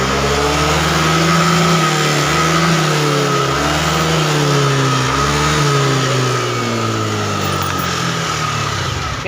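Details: Yamaha Aerox injection scooter that blew its fuse and lost all electrics at mid rpm due to a pinched, bared wire touching the body; after repair, engine revs cleanly to high rpm with a smooth, even note, no cutting out.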